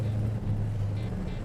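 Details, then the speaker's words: Restored 1970 Plymouth Road Runner 440 Six Pack with 4-speed manual, rebuilt gearbox with new synchros, pulling away: deep, even V8 rumble with no knocks or misses, plus the normal old 4-speed gear whine; motor and clutch sound good. "Motor sounds good, clutch feels good. There's that old Hemi 4-speed whine. Nothing you can do about that. It's an old crash box."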